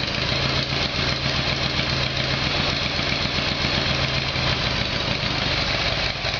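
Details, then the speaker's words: Harley Evolution Sportster V-twin, cold start on choke after a carburetor problem was fixed: uneven lope at a fast choke idle, steady, with no spitting or stalling. It sounds a lot better and runs normally. "you okay what sounds a lot better okay"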